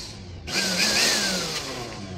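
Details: Blender that had no power, tested after cleaning switch contacts and bypassing the switch: brief high whir swells and holds about two seconds with slight pitch drift; motor spins up and runs normally.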